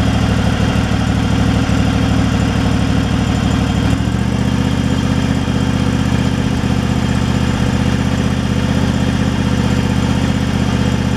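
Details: Craftsman Pro mower small engine after a new carburetor fixed surging: even, steady low idle thrum with no rise and fall, one small settle partway; running smooth, no surge.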